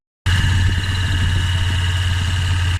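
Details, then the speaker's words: AU Ford Falcon at idle with AC on, system charged with Minus 30 HyChill refrigerant, before adding about 20 ml oil to the compressor: constant high whine over the idle; air-conditioning compressor running noisy. "all right g'day so what I'm doing here today is I'm gonna add roughly 20 ml of oil to the AC compressor let's see if I can quieten it up a little bit"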